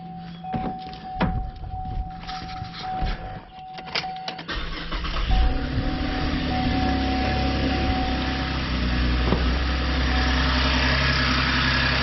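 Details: 2013 Chevrolet Camaro after an alternator replacement for a bad decoupler (ADP) pulley; battery read 12.29 V before start. After a short crank it settles into a smooth, steady idle with no squeal or rattle, now charging at 14.86 V.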